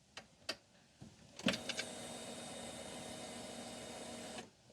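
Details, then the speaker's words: Coleman UT400 UTV after fuel pump replacement (old one caused crank-no-start), key on without cranking: a few clicks then a steady high electric buzz about three seconds that cuts off cleanly; normal fuel pump priming. "You should hear that fuel pump pressurizing the line like that. That is what's going to allow you to start this thing up."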